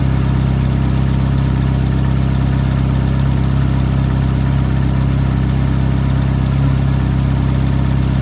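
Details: F430 V8 at cold-start idle: a light, fast tick of about four per second rides over the steady, even idle; cause unknown.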